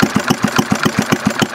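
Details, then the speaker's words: 1951 Briggs & Stratton 6S single-cylinder engine (hit-and-miss conversion) at a very low idle: slow, even popping at about seven beats a second with clean gaps between firings; healthy, sounding like hit-and-miss. "Mike turned the idle down boy this thing's paring like a kitten it's going to make a nice hitting Miss Mike it's almost run slow enough now yeah look it sounds like hit Miss now"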